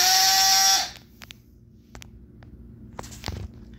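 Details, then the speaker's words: Brushless motor on R1 ESC, bench test unloaded, start power setting around 30, not full battery: high steady electric whine under a second peaking about 5,800 rpm, then near silence with clicks. "all right so with that i think would we have 46.47 so we peaked at 5800 at this point"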